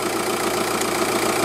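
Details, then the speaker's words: 2006 Audi A3 Sportback at idle after replacing the dual-mass flywheel (Sachs), blamed for an intermittent clac-clac at idle, and refitting the clutch. Now an even, steady idle with no clacking or knocking; the flywheel was the cause. "bon il y a pas de souci donc j'ai j'avis déjà démarré j'ai hier donc là on entend plus le clac clac clac clac donc c'est bien le volant moteur qui était"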